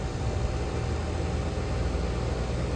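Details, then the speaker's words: Compressor started with the hard start kit (dead, reading nothing) disconnected, steady low even hum with no clicking or stalling; compressor starts and runs normally. "all right let's see if it starts without it it starts without"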